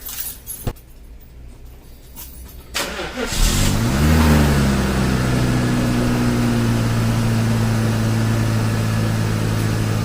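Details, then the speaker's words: 1995 Mercedes-Benz S500 W140 V8, after replacing left-side cam oil tube and valve cover gasket: starts and settles to an even smooth idle, tapping noise from the head gone. "and that's it guys no more tapping noise before you would hear that crazy tap coming from all along here so looks like we resolved the situation"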